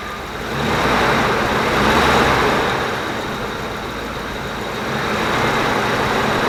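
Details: 1994 Dodge Dakota after cleaner treatment for rough revving; the engine settles into an even idle with a gentle rise and fall in speed and no stumbling or misses.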